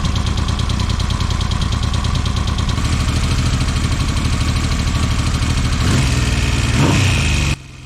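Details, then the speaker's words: 1979 Yamaha XS750 after work on the ignition advance mechanism: runs at a quick even beat, picks up smoothly on throttle and cuts cleanly; advance working, starts great. "The advanced system's working well. Put the plate back on, and it starts great."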